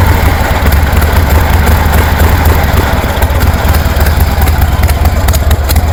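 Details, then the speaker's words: 1973 Harley Sportster with Keihin CV40 carburetor, choke off: loud lumpy V-twin idle stays flat and won't rev up, bogging. "And the answer is no. I can't rev it up with the choke off."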